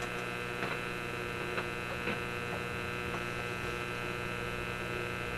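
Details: Simplex antique vacuum tube radio after the B+ problem feeding the Magic Eye tube was fixed; eye glowing but barely deflecting. Steady low buzzing hum with a ladder of even tones and faint clicks through the speaker. Mains hum.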